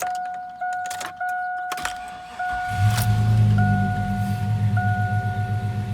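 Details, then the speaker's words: 2001 Chevy Suburban 5.3 V8 after both knock sensors and the knock sensor harness were replaced (intake off): door chime, then a quick crank, a clean catch and a smooth, steady idle; it runs good, though the ABS and service engine lights remain (no cats). "So she's running good."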